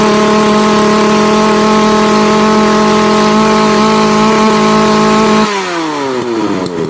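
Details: Makita EA3202S/EA3203S chainsaw after starter ratchet replacement: steady, even high buzz held about five seconds, then winds down at shut-off; runs normally. It previously ran only 5-10 seconds, over-revved and died.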